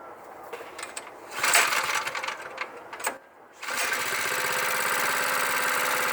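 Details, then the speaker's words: Cheap used plate compactor's small single engine idling after carburetor cleaning (revved past the rev limiter with a towel over the intake); clutch not engaged, so it isn't compacting. After handling noise it settles into a steady, even idle with no stumbling; normal idle. "So as you can see, it idling, it's not running, it's not compacting."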